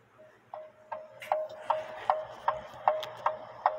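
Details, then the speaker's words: Clock heard through a TimeTrax model 60 beat amplifier clamped to a lower finial, not metal: crisp ticks about 154 a minute, tick and tock evenly spaced with no limp; clock in beat. "and you can hear the clock is in beat"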